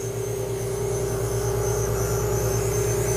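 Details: Valve refacing grinder, one to four thou into the cut across the whole stone correcting an out-of-round valve face: steady stone hum with even rhythmic whirr about three times a second; clean, normal cut.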